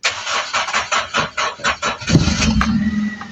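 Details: 2017 vehicle after replacing faulty relay: even cranking pulses about four per second, then catches cleanly at two seconds and settles into a smooth idle; normal start after repair.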